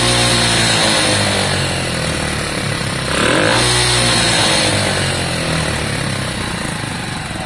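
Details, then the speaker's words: Lexmoto Valiant 125 converted from EFI to a carburettor, choke coming off, air-fuel screw being adjusted, before refitting the original main jet: revs up raggedly, then hangs and slowly settles. Carb is not set right, revs hanging. "At the moment the carb's a bit all over the place. Alright, I'm going to let you hear how beastly this is, but at the moment it's not smooth. It's hanging on its revs, etc."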